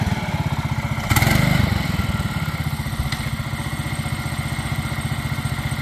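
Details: MaXpeedingrods 7HP 212cc engine with centrifugal clutch repowering a John Deere 110, driving in fourth gear: steady even single-cylinder thump firming briefly under load and settling without misses; running properly.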